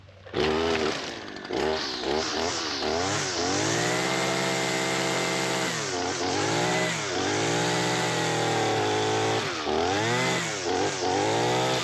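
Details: Husqvarna 223L two-stroke trimmer that previously wouldn't run, after a carburetor kit rebuild with new spark plug and fresh gas. Revs up and drops back smoothly with no misfire or stumble. Running normally.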